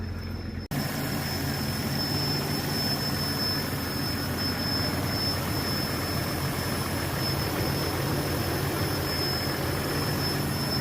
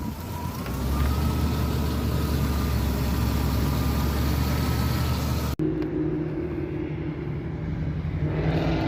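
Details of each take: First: Vehicle running with a thin, steady high-pitched squeal that comes and goes. Owner suspects a vacuum leak, possibly in the evap system since the purge valve was active. Cause not confirmed. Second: Jeep Comanche (MJ) during alternator test, high beams and blower on: engine revs up and holds smoothly under electrical load, no knock, slip or squeal; alternator tested fine, battery low from not being driven.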